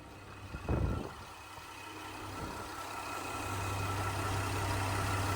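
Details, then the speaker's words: Flooded Cadillac STS bought at auction: a couple of clunks, then a steady, even idle hum that builds slightly with no chatter or knock. It runs smooth and sounds healthy. "sounds pretty good to me he's running smooth as silk"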